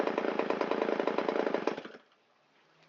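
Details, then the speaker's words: Shindaiwa 360 chainsaw, Walbro WT-89 carburetor, long unused, first run after carb rebuild: uneven burbling low-speed running with lumpy firing; low-speed mixture too rich, screw turned in a quarter turn, still rich. "So we'll turn it in a quarter turn, so that's a little bit less fuel at a low RPM, and see how it likes that. Still a little bit on the rich side."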